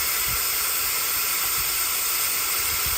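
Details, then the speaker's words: 6.0 Powerstroke with crank-no-start when hot, valve cover off, engine not running; loud steady hiss of shop air escaping past the upper injector o-ring on the high-pressure oil rail, found by squirting oil. "all right so you can hear our air l now with the valve cover pulled off"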